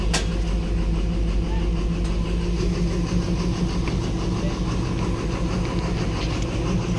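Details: Engine that had power but would not start because of a stuck solenoid: a quick sharp sound at the start, then a steady, even idle with a low throb and no knocking or stumbling.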